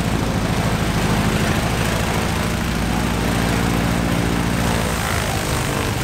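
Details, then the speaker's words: Stinson L-1 radial engine with duplex magneto, after an overhauled magneto was fitted to cure a dead left mag, started right up and runs with an even, throbbing beat, firing cleanly; normal engine run. "that's finally good news started right up good"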